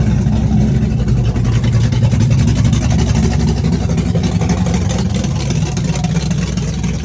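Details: Chevrolet S-10 with a big cam on open headers, cold start with Holley red electric fuel pump: loud, choppy, rowdy V8 idle loping unevenly about four times a second; cam exhaust lift 480/488, advertised duration about 297; healthy lumpy cam idle.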